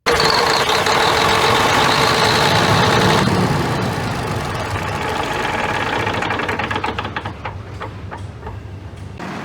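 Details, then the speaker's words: Perkins 2306 (2000 series) diesel idling smoothly just after valve lash adjustment (inlet 0.38 mm/0.015 in, exhaust 0.76 mm/0.030 in), steady run with crisp, even valve-train ticking, no miss or knock; normal idle. "tap clearance adjustment is now complete and the engine has been started. As you can hear, it is running smoothly."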